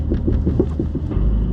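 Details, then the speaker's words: 2021 Porsche 718 Cayman GT4, 4,500 miles, over a speed bump: under low road rumble a quick run of dull oscillating rear thumps about eight a second; loose rear sway bar, fixed by replacing the sway bar. "uh that sounds like something's loose it does it's oscillating yeah yeah that's something moving"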